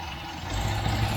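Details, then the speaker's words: 1967 MGB Mk1 with rough idle: steady idle, then engine speed jumps and swells sharply as brake cleaner is sprayed at the intake manifold flange; vacuum leak at the intake manifold gasket, carbs and manifold to be removed. "Whoa! That's a massive engine speed pickup. I don't know if you can hear that, but there's definitely a leak down there. I think that's what my problem is."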